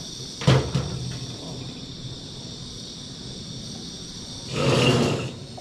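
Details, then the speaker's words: Campy Gear Chubby 2-in-1 propane heater on a one-pound tank: steady even gas hiss with soft roar and handling knocks, burner running normally for now, though the weak-flame problem returns shortly after. "sounds like it's working all right right now"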